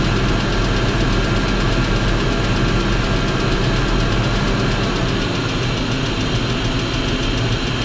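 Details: BMW X5 4.4i V8 at idle: deep, dull knock about twice a second under a rough, somewhat uneven idle. Engine knocking; connecting rod bearing suspected, not confirmed.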